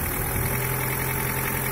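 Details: Daewoo Nexia 8-valve, cold idle: faint steady knocking under an even drone, present five years and slightly worsening; owner suspects crankshaft, source not confirmed.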